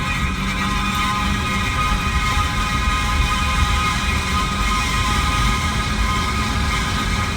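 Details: 2018 Jeep Renegade with a loud continuous low rumbling grind and metallic ringing on top; happens about once or twice a year and stops after shifting into reverse or after a few minutes; cause unknown, owner wonders if something is stuck.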